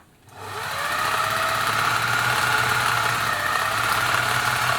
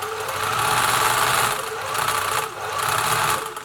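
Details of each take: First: Singer 700 series sewing machine after replacing the motor hinge mount bushes and re-tensioning the belt. It gives a steady, even hum with a fast light clatter and no knocking, running a lot smoother than before. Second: Singer 700 series sewing machine, freshly oiled, run fast: fast whirring with a light, busy rattle that swells with speed; owner suspects slack motor belt tension, similar to a serviced 766 whose motor mounts were at fault.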